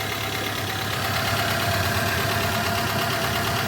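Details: 2015 Renault Logan at idle after alternator repair, now charging: even, steady idle with a smooth low hum and no whine or bearing growl from the alternator (it had a noisy bearing); healthy running.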